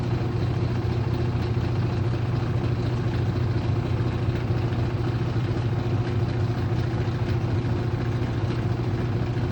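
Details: Aurrtech 18 lb portable washing machine, model AU0003, running with a steady loud low hum and a faint knock about twice a second.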